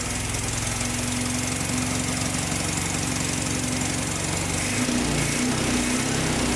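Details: Vintage VW air-cooled flat-four from a 1956 Beetle barn find (not original engine), first run after 23–24 years stored: even steady idle with clean regular beat, no knocks or rattles; healthy.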